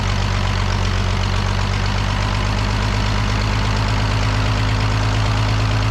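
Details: The Rockabilly Rat, an old petrol engine, idles low and steady with an even beat after getting spark to the plug and adjusting timing; no knocks or misses, running smoothly now.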